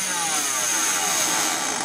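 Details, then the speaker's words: Small DC motor overdriven on a variac: high hard whine with harsh crackling hiss as excess current overheats it toward a dead short; overloaded motor with brush and commutator damage, then pops. "yeah just damage the brushes in the commentator there slowly slowly overheating it too much current dead short oh I popped it"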